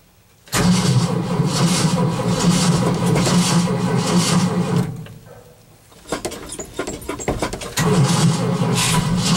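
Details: Cold start after an overnight low of -11 and 0 at start: long steady cranking, a pause, then more bursts, and the engine never catches; the owner thinks he flooded it and the battery may be weak.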